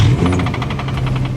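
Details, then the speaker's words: Nissan 350Z (Z33) engine after running dry on oil: fast even metallic knocking, about eleven a second, over a low drone, from a spun bearing; engine later replaced. "i managed to run my engine dry on oil and unfortunately spun a bearing causing it to sound like this"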